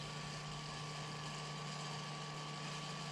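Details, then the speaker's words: Series 8 printer during commissioning, first-time jet start after unpacking and assembly: steady low hum with constant mid-pitch tone over soft hiss as the jet runs into the gutter; printhead checked, running normally. "now we're up and running and the printhead looks like it's everything's running good so now we're ready for the next step"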